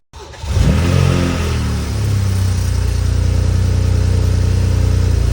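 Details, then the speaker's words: BMW 335i first start after vacuum pump replacement: cranks, catches quickly and settles into a smooth, even idle with a steady low hum, no knocks or squeals; sounds way better, like a normal car. "yo this should sounds way better bro that just sounds like a car"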